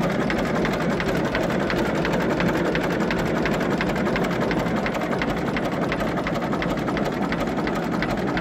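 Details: 1934 Deutz F2M315 tractor with 25/28 HP two-cylinder water-cooled Deutz diesel, first start in 10 years after a few failed attempts; steady, even diesel clatter at constant idle with no misses or surging; idles healthily.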